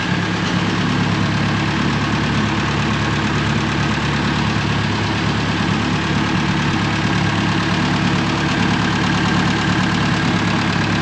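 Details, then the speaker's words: 1950s–60s "doodle bug" (possibly a golf-course or highway mower) idling with the water pump not turning and the head around 180°F on thermosiphon cooling. Smooth, even idle with a steady low hum and no knocks, misses or rattles; engine sounds healthy. "Yeah, everything looks really good. And its engine sounds nice."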